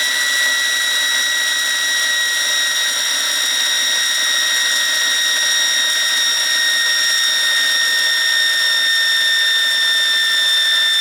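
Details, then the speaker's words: New Wilesco T115 steam turbine on shakedown, belt removed: high pure whine holds then slowly sags in pitch, coasting down much longer without belt drag; bearings smooth and healthy. "You can hear how much longer it takes to spool down without the drag from the belt. So, yeah, the bearings are really good."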